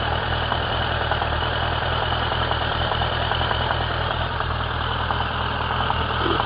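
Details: Suzuki Bandit 1200 K3, 29k on the clock, warm idle with a loose, uneven knock two to three per second; only when warm, persists with clutch pulled, inaudible under load, worsening over a year; source not pinned down.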